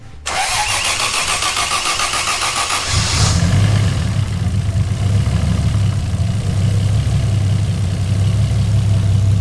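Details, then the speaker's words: Toyota 1JZ-VVTi swapped Nissan S14 240SX with CD009 gearbox, BC 264 cams and Borg Warner turbo, restarted after the swap: brief crank, catches and settles into steady even idle; earlier engine-knock-like noise now gone, normal idle. "hey okay boy okay no more noise I can put the rest of timing covers on"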